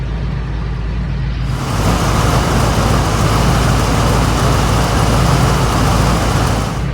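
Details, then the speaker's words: 1962 Pontiac V8 idling around 790–800 rpm with brake booster hose plugged, then loud rushing hiss as hose reconnects and idle rises: vacuum leak inside the brake booster. "I'm going to let my thumb off of this and plug it back into the brake booster and we're going to see that it goes up"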